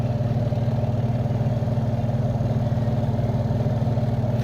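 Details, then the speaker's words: Samsung twin-tub washing machine spin basket after greasing shaft and tightening screw to cure squeal during spin; steady low hum, even gentle pulse, no squeal or scraping; normal spin. "apretamos ahí el tornillo y pues ya está girando bien, amigos."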